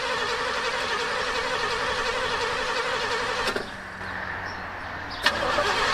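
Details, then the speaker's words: 1968 Pontiac Superior ambulance, after new plugs and a carburetor swap, with fuel confirmed at the carb: uneven cranking about three beats a second, briefly trying to fire then dying; hard start, and a bent rotor was then replaced. "Got fuel. Squirt. Oh yeah, she got squirt. Fire right up. I hope. Alright, we'll give you a little more. Wow. Come on now. Well, bullshit."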